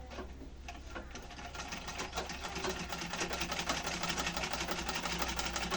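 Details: Household sewing machine trial run after refitting the old bobbin case during servicing: even rapid needle clatter, about two stitches a second, speeding up smoothly with no grinding or knocking; stitching fine, problem solved.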